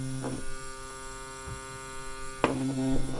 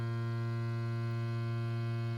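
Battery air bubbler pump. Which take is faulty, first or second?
first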